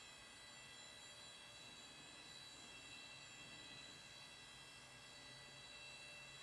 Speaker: I don't really care so man that drive sounds like crap